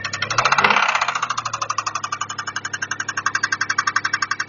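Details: Toyota 1MZ-FE engine: sharp regular knock about four per second over a quiet idle; engine knock, bearing shell or valves suspected, not confirmed.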